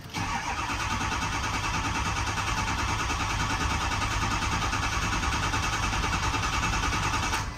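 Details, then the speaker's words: 2005 Ford F250 6.0 Powerstroke, oil brought fully up to temperature, cranking while ICP is checked. The starter churns steadily for about eight seconds but the engine never fires: hot crank, no start. IPR suspected and later pulled, its screen stuck. "but we'll check that after we get this crank no start hot address let's see what we make on ICP trying to crank her"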